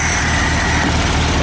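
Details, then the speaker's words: VW Super Beetle air-cooled engine after alternator, starter and distributor replacement: steady, low, even idle. The earlier rubbing noise is gone once the belt-pulled alternator is reseated off the fan plate, and the air cleaner silences intake sucking. Normal idle. "you notice no more sucky sucky sound because the air cleaner is also a silencer"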